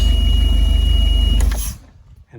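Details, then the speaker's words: Mercury 150 outboard with newly fitted replacement alternator, belt cover off: steady high alarm over cranking and running, stopping as engine dies; low-voltage warning; new alternator suspected burnt out. "So what we're looking for here is on this gauge for us to crank it and it to charge above the 10 volts that it was charging last time, or when it went bad. Still going off."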